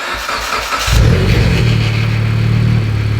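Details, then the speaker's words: Mitsubishi Evo X cold start: short crank, engine catches and flares, then a harsh metallic rattle under idle; long-standing startup rattle once blamed on the starter, confirmed on the lift as the oil pump. "it's a super super bad rattle right on startup that it's always had i always thought that rattle was a starter and it turns out i've had the car lift for a few days and i've double checked and triple checked this a few times that rattle is not the starter that rattle is actually the oil pump"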